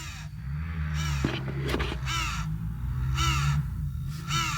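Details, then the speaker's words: Car after oxygen sensor swap during tuning: over a low engine drone, a rising raspy squawk repeats every second or so from behind the dash; never heard before, source unidentified. "What the f is that? I have never heard that noise before. That's Sounds like the camera, doesn't it? No, that's behind my dash."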